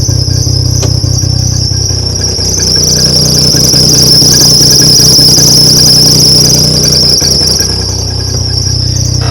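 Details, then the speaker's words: 2012 John Deere Gator 825i that won't rev past 4000 rpm, with an exhaust leak and a broken trailing arm, after a part replacement, idling higher. A constant shrill squeal rides over the idle rumble; squeal from the rear. "Much higher idle. That's right. We still got the squealing in the back."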